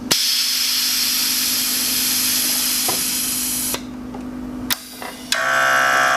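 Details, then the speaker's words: 2017 Harley-Davidson Road Glide (M8 Touring) with newly installed Xotic Customs Taildragger rear air suspension, Fast Up tank, remote, 5/32-inch airline: high whir and air hiss ~4 seconds raising in about 2 seconds, then valve clicks and release; normal fill and dump. "Also noticed that we come up in about 2 seconds. We're running the 5/32 inch airline."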